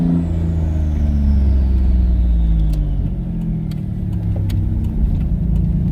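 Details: Twin-turbo V6 Mustang with new DW 340lph fuel pump, driving around the block under load: deep drone pulling through gears, smooth on and off throttle, no stumble or stall on lift-off; running normally.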